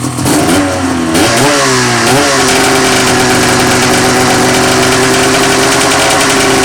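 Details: Rotax 700 two-stroke snowmobile engine after teardown to pack the crank bearing: a couple of quick blips, then a steady, even buzzing idle with no misses; runs good, no leaks.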